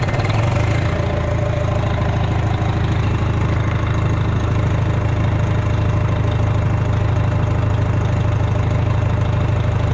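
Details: Rebuilt Detroit diesel after valve adjustment and injector height setting, 60 psi oil pressure at idle: deep, even diesel idle with a steady low rumble, no knocks or misses; normal idle.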